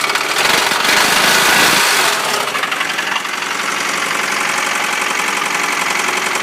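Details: 1993 Honda Prelude H23A1 starting then idling: after a loud start, a steady ticking knock about three per second; owner unsure of the cause.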